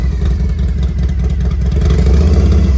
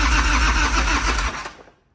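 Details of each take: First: 1993 Harley-Davidson FXR-S with S&S 82ci V-twin, two-into-one exhaust, warmed up: uneven lumpy potato-beat idle, revs up cleanly and drops back smoothly; normal warm idle and revving. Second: 1993 Harley-Davidson FXR, S&S 82ci V-twin, five-speed, under 30 miles, cold start, fuel on, clutch pulled, choke not used; starter churns about a second with no firing; cranks but won't start.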